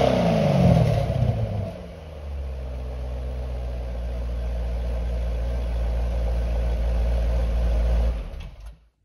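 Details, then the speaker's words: 2008 C6 Corvette after the new NPP exhaust vacuum solenoid is reinstalled: a quick rev blip falls back to a smooth, deep, even V8 idle before shutdown. Exhaust valves working normally after repair. "okay now that everything's hooked up and working like it's supposed to looking back i would say start with the vacuum solenoid"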